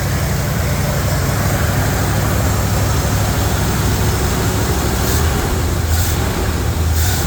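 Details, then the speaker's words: Revived truck warmed to operating temperature (the gauge is not working): deep, steady rumble with an even, unbroken rhythm and no knocks or misses, a healthy warm idle. Some smoke appeared. "all right as y'all can see it ran it idled it sounded really really good I started getting U I let it get up to operating temp it was running great"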